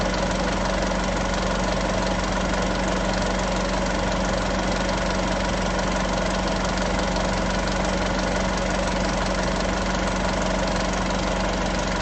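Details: Isuzu 3.0 V-Cross 4x4 pickup, diesel, cold morning idle: steady, even clatter holding a constant low drone with no misses or stray knocks. A healthy cold idle.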